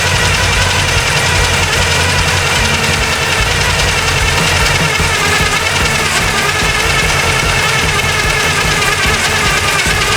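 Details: 1974 Chevy Nova after years sitting, carb being primed: it runs ragged with uneven low thumps and a shaky beat under a harsh roar. Super old gas in the float bowls is suspected, and the fuel filter is still reddish and mucky.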